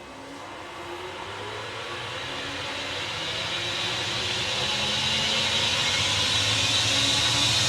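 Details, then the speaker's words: Boxford BUD lathe now driven by a newly fitted inverter, running twice as fast: smooth whine climbing in pitch and loudness as it spins up, even and free of knocks; healthy high-speed running. "that's running twice as fast."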